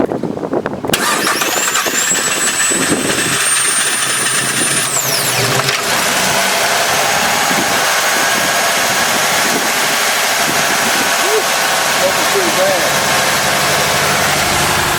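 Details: 2016 Ford F-150 3.5 V6, once called locked up, first start with transmission fluid in the cylinders: cranks briefly, catches, settles into a steady, slightly rough idle with ticking, smoking expected, no knock; runs.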